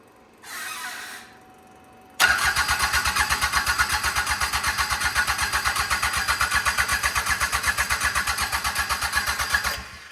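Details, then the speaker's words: Mitsubishi L3E three-cylinder diesel (about 20 hp, log-splitter power plant), rebuilt after zero compression in the middle cylinder from a valve problem, cranked cold with no glow plugs. Even starter chugs about four a second for seven seconds, smoke but no catch. "It's starting. All right, try it. We don't have any glow plugs. We got smoke though."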